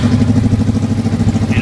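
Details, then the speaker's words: 1988 Kawasaki ZX600 Ninja after carburetor syncing and balancing and new spark plugs: quick, steady, evenly spaced exhaust pulses with no stumbling or hunting; runs smooth and balanced, normal. "just finish syncing and adjusting the carburetors this baby runs sweet"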